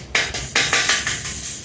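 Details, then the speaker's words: Bicycle bounced: sharp tinny clatters about five a second from the rear fender, zip-tied on metal to metal, mounted too low and something loose; the front fender, installed with washers and spacers, makes no noise. "You hear it all rattling down. Something's loose in here for sure. This is just zip tied on, so this is metal to metal."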